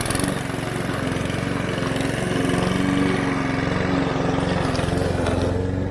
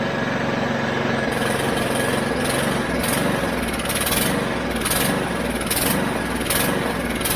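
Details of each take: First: Mountfield HP 414 petrol lawn mower that started then died, after carburettor cleaning: steady, even engine beat while cutting grass with no hunting or surging; running smoothly. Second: Mountfield HP414 petrol lawn mower that starts then dies: beat and pitch surge in waves about every second before fading, runs better on choke; lean running from a dirty carburettor, fixed by cleaning it.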